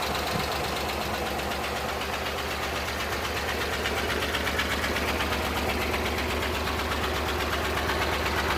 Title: PART2: TROUBLESHOOT ENGINE RANDOM MISFIRE Suzuki Multicab F6A